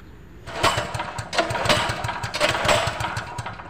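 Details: Generator that won't start: repeated pull-start bursts turn the engine over in quick thumps that never catch, with no spark from a dead spark plug; the carburetor was also found clogged.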